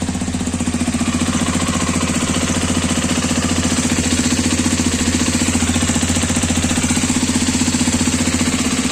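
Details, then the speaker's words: New Hero Xpulse 210 motorcycle (January 2026 batch) at pre-delivery inspection, single-cylinder idle: steady, fast, hard tapping knock over the exhaust beat, with oil leaking at the engine; engine knocking, cause unknown. "But इसमें problem बस यही है कि engine main part होता है bike का और उसमें ही इशू आ रहा है। नॉकिंग साउंड है और ऑइल लीक हो रहा है।"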